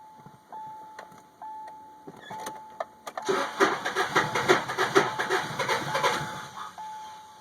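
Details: 2002 Subaru Outback H4 manual, with the fuel pump fuse pulled: chime beeps, then steady starter cranking at about three pulses per second, engine never fires because no fuel reaches it.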